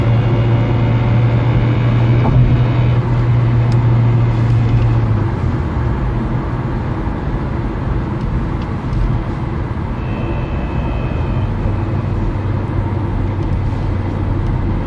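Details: Peugeot 307 1.6 16v running: deep steady drone with a faint thin whine from the gearbox. Changing the gearbox oil, which was not low, improved shifting but the noise remains. The owner suspects a faulty thrust bearing; unconfirmed.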